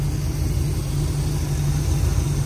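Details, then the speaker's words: 403 Oldsmobile V8 on an engine stand, warming up, idling about 700–750 rpm with 15–16 in vacuum; deep loping rhythmic chop from the cam, no knocks or ticks; normal lopey cam idle. "but uh it's idling probably around 700 RPM I'd say 750 tops"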